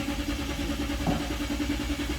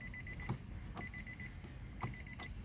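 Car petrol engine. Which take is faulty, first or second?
first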